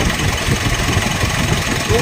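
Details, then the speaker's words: 2016 Mitsubishi Montero Sport diesel: idle with a constant raspy whirr over the clatter, even at idle; first blamed on the turbo, diagnosed as a worn bearing inside the alternator. "2016 model alternator ang problema akala nila kasi Turbo yung problema pero alternator yung hatol natin"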